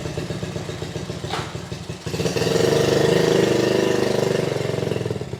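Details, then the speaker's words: Honda Z50A mini trail bike, unridden about 30 years, after clogged fuel petcock blown out with compressed air and carb cleaner, kick-started: a few chugs, then settles into a steady single-cylinder beat that swells and eases; runs well. "well that seemed to do the trick just blowing out the petcock that seemed to make a huge difference so now we're back in business"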